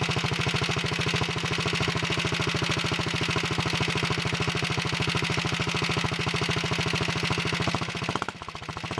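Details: 1961 Wheel Horse model 401 single-cylinder engine, cold on full choke after the points were cleaned and regapped: an even, rapid putter with a steady beat and no missed strokes. It smokes a little when given gas.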